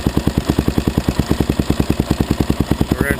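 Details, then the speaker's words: Suzuki LTZ/DRZ single-cylinder ATV idling with light clicking over the thumps from a slack cam chain; screwing in the cam chain tensioner bolt until the clicking stops, then locking the nut, makes it almost gone. "you can hear it clicking hear that clicking noise that's the cam chain in"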